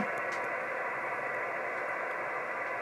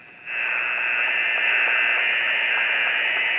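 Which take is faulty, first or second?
second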